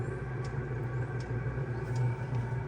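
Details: Chinese 2 kW diesel heater in a 1997 Mazda Bongo Friendee, after clearing E-07 code by reseating the harness, lit and warming past about 60 degrees: low steady hum with soft regular fuel-pump ticks; burning evenly, running normally.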